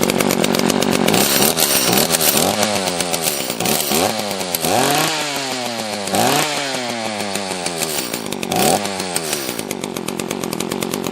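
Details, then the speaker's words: Used Echo CS-330T top-handle chainsaw, non-runner, carb screws set a half turn out: revs surge up and sag back unevenly instead of holding steady. Lean running, fuel starvation, owner suspects it ran out of gas. "sounds like we might be out of gas"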